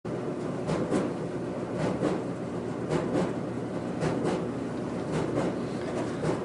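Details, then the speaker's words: Speed Queen dryer running with a double thump about once a second like a heartbeat; owner first suspected a broken or off-track drum roller, but the cause was debris on the drum roller track. "today we're gonna work on our dryer that seems to have a roller that is broken or off track or something because it's just beating around sounds like a heartbeat"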